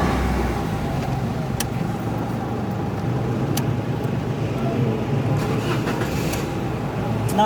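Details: Toyota Wigo after a misfire and check-engine repair, in which a moving injector wire was fixed and the codes were cleared; the engine now idles smoothly and evenly with no stumble or misfire.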